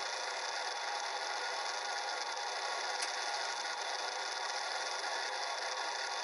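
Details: Stock 40mm cooling fan in a Sans Digital MobileRAID MR2UT+B enclosure at startup, after cleaning; thin steady high-pitched whirr with faint tones and almost no low end, noisy, before replacement with a Noctua NF-A4x10 FLX.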